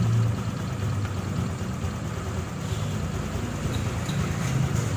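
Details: Honda Click 150i single-cylinder scooter after engine rebuild (new connecting rod kit, piston, rings, pin, head gasket, water-pipe O-rings; original crank bearings): smooth, even low hum with no knocks or rattles; healthy running.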